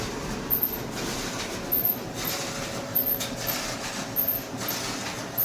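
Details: GE dryer (model GTD33EASK0WW) tumbling: sharp high squeal about every 1.2 seconds. Cause is a worn top drum bearing, fixed by replacing the bearing.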